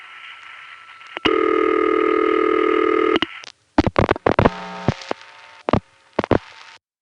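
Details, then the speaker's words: Gotham Tandem switching, 1975–77, call to Wadsworth 3 panel: steady tone cuts off, then irregular pulse bursts and tones as a direct-trunk glitch, maybe a trunk flash, makes Gotham reroute via Amsterdam Tandem 1; call reroute after trunk glitch. "First, Gotham begins to communicate normally with the Watsworth 3 panel. Oops, hit a glitch. So, goodbye Watsworth. Hello Amsterdam."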